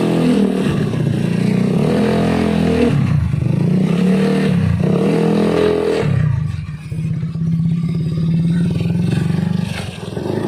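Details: Honda Beat carburetor scooter after fixing rattling CVT noise on throttle opening by refitting CVT cover support boss: revs up and drops back smoothly, no rattle or chatter on throttle opening; drive quiet and healthy.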